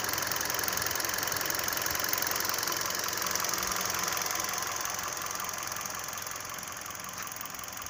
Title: Стук в двигателе хендай солярис 2012